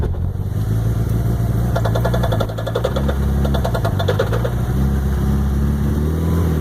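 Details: Mitsubishi Evo 6 turning sharply left/right in gear: rapid clunking bursts from under the car over low engine drone; goes away with clutch pressed; rear diff, carbon driveshaft or recently rebuilt transfer case suspected.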